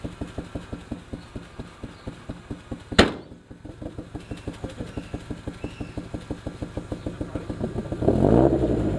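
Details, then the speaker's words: 1990 Honda Civic ED with built D16 turbo swap, EFI, first start after sitting about 4 years: uneven lumpy idle with irregular pulses about three per second, running rough and rich; owner suspects very old fuel. "so oh it's rich it's running rich the oil's probably i mean oil the fuel and it's probably probably oldest very old yeah we should get some new fuel all right so it actually starts it's so good it's running really rough it's probably because the fuel is so old"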